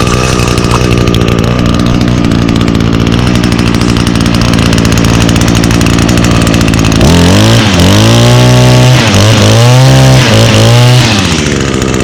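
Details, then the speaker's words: 2019 Echo SRM225 trimmer, two-stroke with i30 recoil starter: steady idle, then revs cleanly up and back down several times without bogging; runs well. "and now this unit does come equipped with um echo's i30 recoil starter so it requires 30 percent less effort to hold the engine over as i will demonstrate now look at that"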